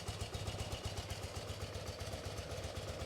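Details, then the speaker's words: BMW R65 twin-cylinder carbureted motorcycle, warmed up after secondary air system delete and air filter replacement, during carb synchronization with a DigiSync tool; even idle runs a bit slow, then picks up as the idle screw is turned in; idle was set too low. "But, um let's let's get this thing warmed up and idling and then we'll go ahead and uh synchronize these carbs and get this thing running. So, it's idling a little low."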